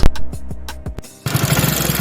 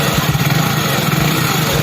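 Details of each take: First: Hero Splendor Plus BS6 fuel-injected single-cylinder bike idling: dry, rapid ticking from the top end, tappet noise from loose valve clearance, before tappet adjustment. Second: Hero Splendor Plus BS6 fuel-injected motorcycle idling evenly after tappet adjustment: steady low putter, with the earlier engine noise gone and no ticking or knocking.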